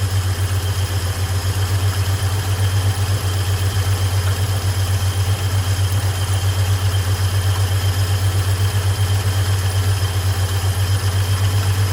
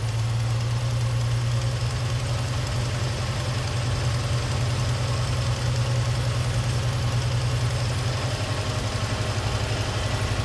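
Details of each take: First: 1978 Chevy C10 with straight six and automatic transmission, warmed up: even, steady low rumble at idle with no misses, knocks or ticks. Belts noted a little loose. Normal warm idle. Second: 1978 Chevy C10 straight-six, automatic, single-barrel carb: after turning the tiny bottom screw the owner believes is the idle adjustment, the six still holds a steady, fast, even raised idle without dipping; idle speed too high.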